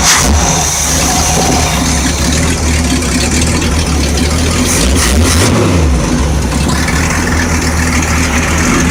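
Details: Freshly built Mercruiser 454 MK IV marine V8 with cam already broken in, run briefly on the hard with the muffling attachment fitted: deep, steady burble at a smooth, even idle with no knocks or misses; healthy.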